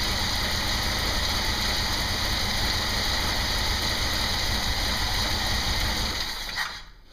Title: VW Passat GLS B1: Motor läuft unrund